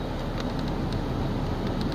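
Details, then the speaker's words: Truck (possibly a 2005 Colorado) blower motor after repair of speed 3, broken about two years; engine running; steady airy whoosh with low rumble, no rattle or squeal, on a middle speed; all four fan speeds now work normally. "2 works great. 3 works great. And 4 works great. I think we can call that a success."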